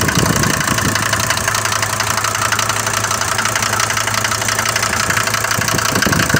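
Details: Mercedes diesel bought used with this noise, recorded cold in the morning: loud, sharp clatter about three ticks per second over a rough idle, louder than the normal clatter of these Mercedes diesels; heavy knock, cause unconfirmed.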